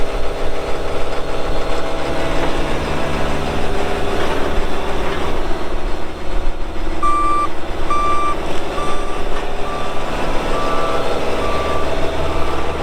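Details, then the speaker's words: 2018 Dynapac CC5200 double-drum roller, 135 hp Cummins diesel, 6,764 hours: a steady diesel rumble under the drum vibration, with a regular reversing beep. Both drums vibrate; normal operation. "so here in a little bit we'll fire it up and you'll see that it runs good both drums are vibrating"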